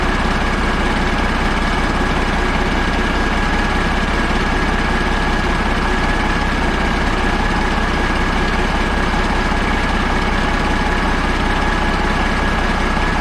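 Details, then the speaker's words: Caterpillar 3406A diesel idling before installation in the truck: steady, even idle with a deep rumble and regular clatter about three beats a second; running healthy. "i just love the sound of these things i could listen to it all day i'd rather have this in here than a radio so that's pretty cool"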